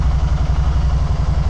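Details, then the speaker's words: 2012 Can-Am Spyder RT-S SE5 after EVAP parts installed (rear cylinder believed running lean from canister vapor), started about 1.5 minutes earlier, warming up: steady even low thump, no misses or rattles; normal idle. "But she's just sitting here burning. I mean I just started up here"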